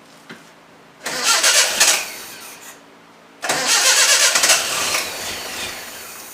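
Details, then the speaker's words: Project KADER after a new fuel filter (empty of fuel) and a newly fitted internally regulated alternator, not started since: two short bursts of cranking with no catch. Cranks but won't start; cause suspected, not confirmed. "But I also threw a new fuel filter on here, and I ain't got no fuel in it. It hasn't started since then, so I'm sure getting it to fire today is going to be a treat."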